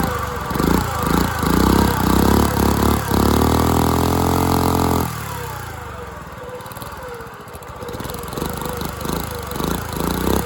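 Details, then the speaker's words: Dumpster-found go-kart engine, missing valve-cover parts, running unloaded: uneven single-cylinder chugging that surges, falls off and picks up irregularly; rough running, owner suspects timing and probably valve lash. "What a turd. Definitely a timing issue and uh probably valve lash issue, but I think I'm just going to toss this in the trash."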